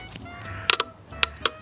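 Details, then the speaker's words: Motorcycle accessory junction box with its ignition cable touched to battery positive: a sharp relay click pulling in, then one dropping out when removed, over a quiet background; the junction box is working normally. "when I take the ignition cable and touch it to positive, if you can hear that, that is the sound of the junction box getting electricity"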